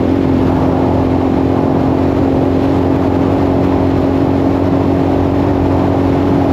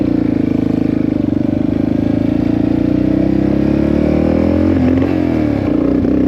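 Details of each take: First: 1984 Yamaha XT600 after swapping wrong-sized carb jets for correct standard jets, fresh plug, desert test: steady, even drone at wide-open throttle up to 75 with no breaking up; some popping off-throttle, possibly slightly lean. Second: 1984 Yamaha XT600 single-cylinder, carburetor with undersized jets (bike came from Colorado, high elevation): ragged, uneven revving breaking up at the top, with sharp pops as soon as the throttle closes; lean misfire with deceleration popping, owner suspects the main jet.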